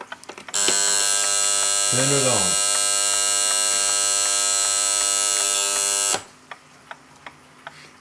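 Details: Copal RP-160 flip clock, serviced and with its front case refitted, has its alarm rechecked. A loud, steady high buzz lasts about five and a half seconds, then cuts off cleanly; the alarm buzzer works fine.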